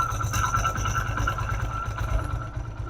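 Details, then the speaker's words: Motorcycle engine after a low-cost (about 20-rupee) fix for a loud engine noise: now an even, low idle rumble with a steady beat and no rattle or tapping, a normal quiet idle. "देख सकते हैं दोस्तों हमारे हो चुका है कोई आवाज़ नहीं ऐसा लगता है जैसे सारा इंजन"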